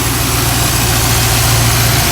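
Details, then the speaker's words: Pontiac Grand Prix LSX on Holley Terminator X EFI, first start: steady V8 idle with constant hiss; vacuum leak from a popped-off vacuum cap, which kept it from revving and idling at 850. "Sounds like I have a vacuum leak. I have a vacuum leak, where is it?"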